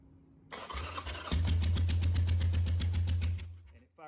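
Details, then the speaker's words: 2005 Harley-Davidson Sportster 883 no-start diagnosis, new plug wires and plugs, one spark plug out being tested; cranks then catches with uneven pops about four a second instead of a full V-twin beat; engine firing on one cylinder. "here's a little magic"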